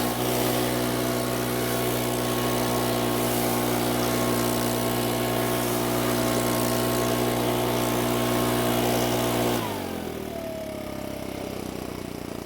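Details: Makita four-stroke handheld leaf blower, previously would not start (lost carb part), test-run after oil change: smooth high-revving full-throttle drone drops cleanly to a soft even idle without stumbling. Quiet at idle, not loud at full throttle.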